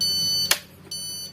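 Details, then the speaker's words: Epson LX-310 dot-matrix printer that won't pull paper, jammed: at power-on all indicator lights flash with two high, sharp beeps half a second apart and a click; error beeps, carriage won't move, cause not confirmed. "fast is turned on, all indicator lights are flashing and beep tit tit sounds like that, yes, this was 5C friends, but for sure this light will turn on, only it won't move."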